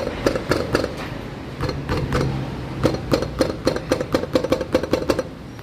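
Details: Nissan Livina; sharp hollow clacks in irregular bursts, then quick knocks about four a second, from play in the brake caliper; loose caliper rattle, cheap fix by applying high-temperature silicone to caliper back.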